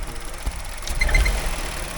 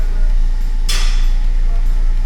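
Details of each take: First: Car engine on the ramp, running under load, with three quick high-pitched chirps about a quarter-second apart; the mechanics suspect a pipe, source still unknown. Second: Car restarted after its fuel system was bled, with a risk it might start then cut out: a deep, even diesel-like rumble that holds steady with no stumbling or cutting out; the engine has fired and idles smoothly.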